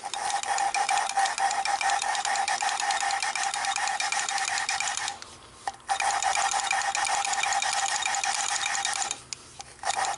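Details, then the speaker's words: 1948 Nash engine rebuild, hand-lapping valves after seats cut: steady gritty rasping of valve against seat, pausing as valve is lifted and turned; lapping compound cutting well. "You can hear it cutting, or I can hear it cutting. It's actually cutting really"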